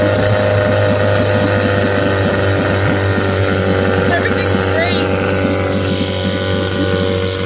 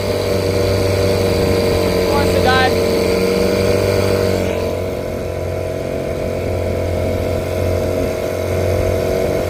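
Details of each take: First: 1975 Johnson 6 hp outboard, which starved for gas and died at higher throttle, restarted after fuel line work: putters at a steady, even beat with no hunting or dying; clean, healthy idle. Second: 1975 Johnson 6hp two-stroke outboard, idles great after fuel-line work (had been starving for gas); runs steady at low speed, then note sags instead of climbing when throttled; loss of power on acceleration, compression test planned.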